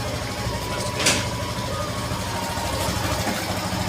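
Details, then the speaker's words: Motorcycle after chain cleaning, idling in gear: smooth steady engine note, no ticking or clacking from the chain; earlier kat-kat chain noise seemingly gone. "पहले काफी आवाज आ रही ी अभी कोई आवाज मुझे लग नहीं रही हैसे अभी फिलहाल"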